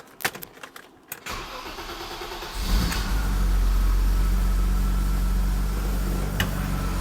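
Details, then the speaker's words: BMW Alpina B10 Biturbo E34 after first service (vacuum lines redone, fuel filter replaced; startup was harsh before): starter churns while fuel pressure builds, then catches cleanly into a steady quiet idle, valvetrain no longer heard, only injector clicking; normal start. "Oh yeah, it sounds good. So vacuum lines are holding. Oh, it's quiet. You can't even hear the valve train anymore."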